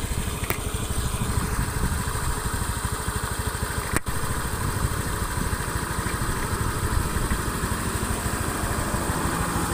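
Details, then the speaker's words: Honda Beat FI scooter after repair, on a road test including a climb after earlier struggling at 100 km/h: an even, quick-firing putter with no knocks or misses. The engine now runs smooth. "Nah ini untuk mesin itu halus ya"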